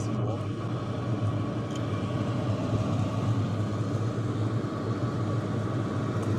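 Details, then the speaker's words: HCALORY TB MAX 8 kW diesel heater after about 10 minutes running, exhaust 73–75°C, combustion chamber over 160°C: steady airy fan rush over low even exhaust hum, pump clicking inaudible with mic close; normal operation. "I can't hear it anymore. I really can't hear it anymore. But the ventilation noises up here in front and also at the exhaust. Those you can hear."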